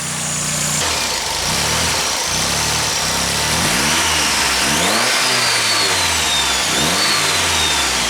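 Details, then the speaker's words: Mazda 323 GTX after fuel pressure was set, overflow pipe loosely routed: steady, even idle with a couple of light throttle blips that rise and settle cleanly; engine sounds smooth and healthy. "But yeah, you can see she's running nice. Just set the fuel pressure properly, that way once it's on the road I can actually turn her up a little bit."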